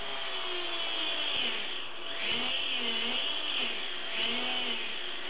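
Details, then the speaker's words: WLtoys V949 quadcopter after laser blade balancing, sounding sweeter: high steady buzzing whir swelling and dipping with throttle; residual whir, unsure whether from the prop or the gear train, may need silicone spray. "now I don't know whether that's the actual prop or something else in the gear tone I might have to spray a bit of silicon"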